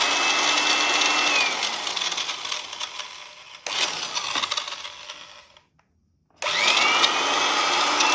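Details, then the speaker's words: 1975 400 W 220 V drill without speed control after gearbox overhaul and regreasing; high even whine at full speed, winds down and spins back up smoothly without grinding or rattle, working order. "Ну и пусть поработает маленько. Всё. Вот ревизию редуктору сделали. Всё, дрель в рабочем состоянии."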